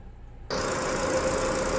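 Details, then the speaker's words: Ford EcoSport at 92,719 km, idling after an AC not-cooling repair with worn parts replaced: a smooth, steady idle with no knocks or squeal. Low side reads 30, high side 200, the compressor cycles normally, and vent air is 5°C at 31°C ambient. "ตอนนี้เดินเบาค่ะวัดค่าการทำงานด้านโลอยู่ที่30highอยู่ที่200ค่ะคอมแอร์ตัดคอมทำงานคอมแอร์ตัดต่อปกติค่ะ"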